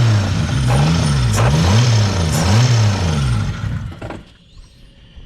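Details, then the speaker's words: Toyota Supra with an AEM Infinity ECU at first startup, not yet tuned. Deep engine note swinging up and down about three times a second, lumpy and uneven; rough idle. Clutch fork rattle also present. "works better get rid of that Emily's pretty rough"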